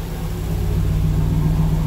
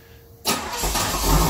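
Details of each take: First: 1992 Chevrolet Camaro Z28 with intermittent hard start, stalling and rough idle, started just after the ignition control module was refitted with grease and the plug wires were rearranged: it holds a steady, even idle with gentle swells and no stumbling. This is far better than before, though the fault is intermittent. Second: 1992 Chevrolet Camaro Z28 hard to start: short crank, catches abruptly, then uneven lumpy sputtering idle; when it catches it idles 3–4 minutes, roughening until it stalls. Fuel filter and ignition control module already replaced; MAP, O2 and coolant sensors new.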